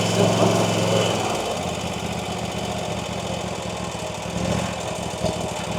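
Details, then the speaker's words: RedMax CZT54X zero-turn after repair, with earlier smoke mostly burned off: steady single-cylinder putter at a fast idle, even and unbroken with no misses or knocks; running smoothly. "All right, look at this beauty. Running like a champ."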